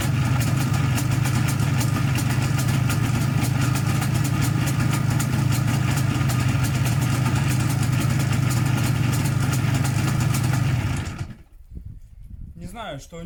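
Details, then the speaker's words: 1987 IZh Jupiter 5 two-cylinder two-stroke motorcycle at idle: a fast metallic ringing knock; owner suspects the piston group, wrist pin or crankshaft, possibly also a noisy primary chain; unconfirmed before teardown. "А работает он не совсем хорошо, что-то в нем звенит. Вот хочу сейчас разобрать поршневую, узнать, что в нем звенит."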